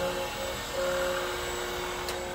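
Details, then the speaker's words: 1988 English metric Monarch 10EE lathe, I/M regenerative drive converted from 460 to 230V, first test run: steady clean motor whine in reverse, even pitch, no grinding; reverse works, speed potentiometer not yet controlling it. "working the reverse speed thingy seems to work"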